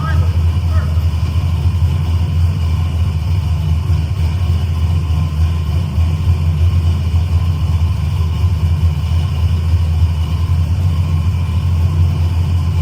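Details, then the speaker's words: Carbureted engine on a new install, idling after the mixture was readjusted and the wideband reads on target: steady, even low rumble with no misses, stumbles or surges. Normal idle; idle quality changed with the mixture adjustment. "If you paid attention, you can hear the the idle quality change, too. Uh cuz I had to change the mixture."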